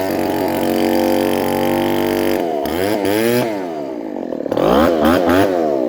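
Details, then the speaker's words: Two-stroke leaf blower after gasket and seal replacement, primed and choked after sitting a couple of days: harsh raspy bark rising and falling with throttle blips, as loud as no muffler; exhaust leak from big hole in muffler. "this one has a big hole in it and it's really loud and it's annoying the original hole was right there and this one makes it like it's basically it basically sounds like there's no muffler on it"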